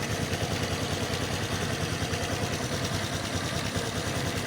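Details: Honda XRM 125 FI idling with a steady, fairly regular knock over the exhaust beat, coming from the left side of the engine.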